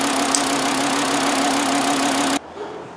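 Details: 2009 VW Jetta 2.5L petrol at idle with a flashing check engine light from a severe misfire: slightly uneven, loping pulse. A cylinder drop test shows no contribution from cylinder 1, and it is then checked for spark.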